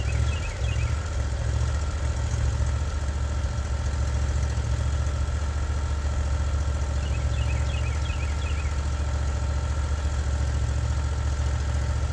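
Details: Norwood HD36v2 bandsaw mill evaluating new roller guides that replaced the ceramics, cutting a frowned-down black oak hardwood log: a deep, steady drone that stays even under load with no surging, bogging or grinding. The boards come out very smooth; normal cutting under load.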